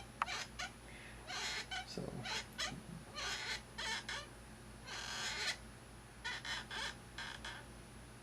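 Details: Thrustmaster rudder pedals: about a dozen short high squeaks, one per press, as the pedal arm shifts sideways and rubs its plastic housing; pushing the pedal away stops it, and lubrication only helps temporarily.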